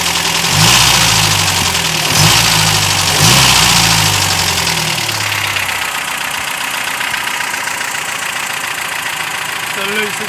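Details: 1989 Toyota 22RE engine: a few revs settle into idle with a light, fairly steady tick about four times a second; cause not pinned down.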